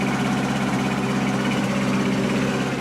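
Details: 2003 Toro 20017 mower, original Tecumseh LEV120 swapped for a 2006 LV195EA, governor linkage realigned: a small single-cylinder engine holding a smooth, even beat at steady speed, no surging or hunting. The governor now controls speed.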